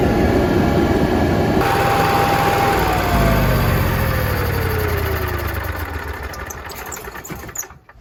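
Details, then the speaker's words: Onan QG 5500 generator in a 2022 Jayco Precept 31UL motorhome, started mid oil change with Cummins Onan 15W-40 to circulate new oil before topping up; steady even hum, then pitch sags as it shuts down; running normally. "Is put the cap back on, and we're going to start it up and let the oil circulate a little bit, and then see if we can add the rest of it."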